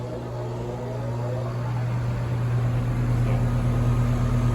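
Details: HVACR unit during pump-down test, pressure switch bypassed, thermostat set low, just started with gauges attached as pressures begin to split: steady low hum rising slightly as it settles, even, no knocks or rattles; compressor running normally.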